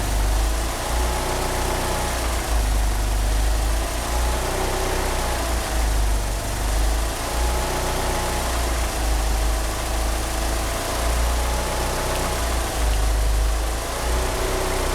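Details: Petrol car with 850cc injectors that cannot rev up, steering pump belt slipping: engine idles unevenly, deep rumble swelling and sagging every couple of seconds; rough idle, cause not confirmed.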